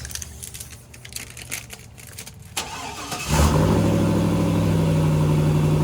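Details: Chevy daily-driver pickup started after fitting new exhaust and clamps, before winter: quiet shuffling, then the engine catches and settles into a deep, steady exhaust rumble with an even beat. Normal start and new exhaust.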